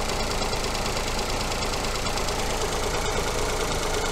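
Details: 2018 Ford Fiesta, 3-cylinder non-turbo petrol engine with coil-on-plug ignition, at idle during an oscilloscope coil check with a coin on the coil. Even idle with a steady, regular beat and no skips or stumbles. Normal idle.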